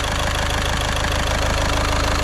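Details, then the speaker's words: VW Caddy diesel at idle after injector removal and repair, no engine management lights: even, regular idle clatter with steady low throb and no knocks; smooth and healthy, nice and quiet. "I am well happy with that. Well happy. And it sounds so nice and quiet as well."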